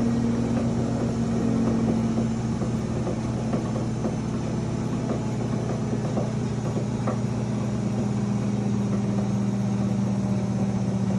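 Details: GE Profile UltraFast combo washer-dryer at high spin: steady high-speed hum with a low drone and faint, uneven knocks about four times a second; owner unsure whether the knocking is normal.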